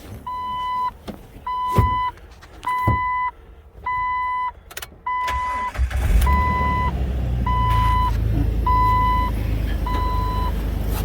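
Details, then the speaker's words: Manual-transmission vehicle just fitted with a belt after a broken tensioner left no belt tension; door-open chimes, then the engine catches and settles into a steady, even idle with no squeal or rattle. "Alright, so there you go. Everything looks good."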